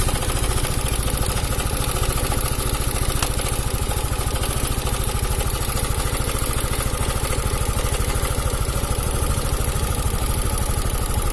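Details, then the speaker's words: Cam chain (rantai keteng) rattle on an Italian 250cc automatic scooter: quick, rough krek-krek clatter over an uneven idle, rough-sounding engine; charging around 14 V normal. "Nah itu MP3 suara rantai keteng bahwa krek-krek gitu"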